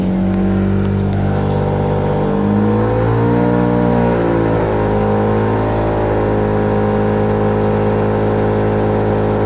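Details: Mazda RX8 at 4000 rpm with P0301 cylinder one misfire despite swapping coil packs and spark plugs (D585 coil upgrade kit): uneven, wavering note with rough stumble, heard through the exhaust; dies at idle, cause unknown.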